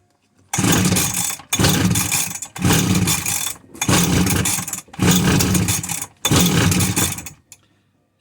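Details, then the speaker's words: Husqvarna 345r brush cutter, unused all winter, with a new NGK plug, fuel squirted into the cylinder and choke on: six rough bursts about a second apiece that die each time, indicating a fuel problem; engine fires briefly after priming. "the firings choke off [Music] that was because it's been sitting all winter i've been studying for so long and what i did there now just brought it back to life"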